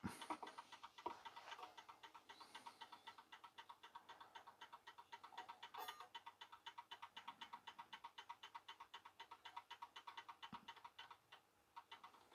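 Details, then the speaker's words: 1930s Garrard English mantel clock after service and re-oil, pendulum just refitted, which slows the ticking: crisp, even ticks near four per second, steady level, quiet room; running in beat and healthy. "now we can put the pendulum on it and we're pretty well finished this will slow the ticking down a bit"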